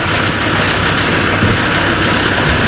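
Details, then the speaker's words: Rodius idling after power steering fluid top-up while steering: steady even hiss with no whine or groan; the pump no longer makes the odd noise. "La pompe ne fait plus de La pompe de direction assistée fait plus de bruit bizarre là."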